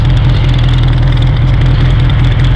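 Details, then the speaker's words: 1982 Honda CB900F four, warm, on Keihin FCR 35 carbs with mesh pod filters and a Vance and Hines exhaust, after a fresh valve job and carb sync. It restarts nicely into an even, deep idle with a low hum; audible intake suction noise; normal idle. "that's the sound of the fuel and air getting sucked into the engine and uh I set it off just so see that it does restart very nicely very happy with that"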